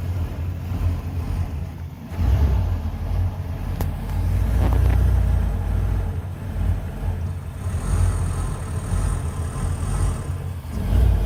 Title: 1993 Ford E250 5.8L: Rough, hunting idle after 40min. Intermittent strange noises from air intake.